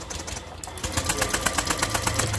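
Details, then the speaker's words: 2015 Honda Vario 125 injection scooter that died suddenly while parked: starter relay refitted, then quick, even whirring pulses of about eight per second as the starter cranks freely. The fault was a detached side-stand socket connector. "tuh kalau switchnya bagus arusnya terhubung selain ini nyala starter juga bisa nyala tuh ada bunyi"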